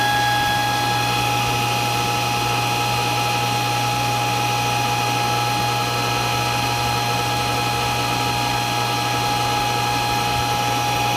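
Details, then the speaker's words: Century Centurion pool pump motor running with a loud, unbroken high-pitched squeal over a steady electrical hum that never goes away; cause unknown. "my pool is making a really loud squealing noise and it's coming from I know it's coming from this part right here but I have no idea what that is"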